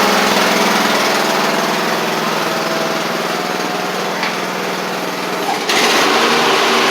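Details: Craftsman riding mower, back together after a broken deck spindle and a bad-ground starter click were fixed (the blade-engage cable is slightly damaged but working): a steady, even single-cylinder buzz at constant speed with no misses or knocks, so normal running.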